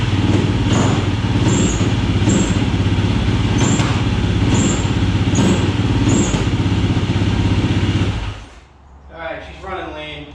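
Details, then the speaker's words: 2007 YFZ450 SE single after a new starter solenoid. Idles steadily with sharp pops about once a second until it cuts out. Running lean; pops stop with choke on, so a bigger main and maybe idle jet are needed. "you can hear from the puppet she's running lead i'm gonna have to pull the cop i'm gonna have to go bigger on the main jet"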